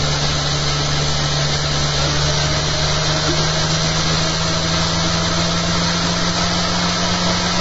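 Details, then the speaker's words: Much quieter after fitting new eccentric bobbin and magnet holder and fixing rattles: steady, even motor hum with constant low drone, commutator audible as motor drives the rig, no rattles or knocks; normal quiet running. "I tell you what, it's so bloody quiet I can hear the motor now. I couldn't hear the motor before. I can hear the commutator on that as the motor's driving it."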